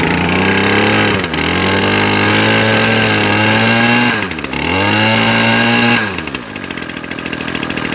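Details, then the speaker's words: Ryobi Grass Scorpion RCT-2800 two-stroke line trimmer after replacing fuel lines and primer bulb, carb jets not yet cleaned, started on choke: revs up and eases back twice without stumbling, then settles to an even idle; running healthy. "W look at that and it idles beautifully"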